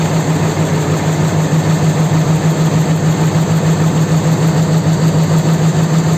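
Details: 4.7 engine at idle: even, deep, rhythmic knock about three beats per second inside the engine; source unclear.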